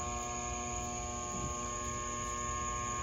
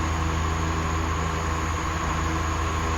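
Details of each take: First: Shop fan made in 2003, about 20 years old, on low setting; steady electrical hum with strong buzz and no rising whoosh of blades; motor energized but rotor stalled, locking up instead of spinning. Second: 2003 shop fan that locked up and hummed without spinning, repaired by cleaning with a flammable liquid: steady even motor hum at high speed with smooth airflow rush, no scraping or grinding; fan spins freely.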